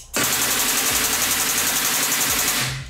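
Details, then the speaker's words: Air/hydraulic cylinder for a tubing bender: quick, even chugs about four a second, each one a pump piston cycle, with hissing air rush through the air valve; pump cycling normally. "chug is the piston in this pump moving up and down every single time you hear that sound there's one cycle of the piston"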